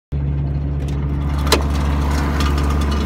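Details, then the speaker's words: Exhaust separated behind the catalytic converter, cat-back section lost: loud, raw, deep unmuffled drone from the engine; exhaust leak. "I just fucking lost the fucking back half of it off the cat. Cat back is freaking done."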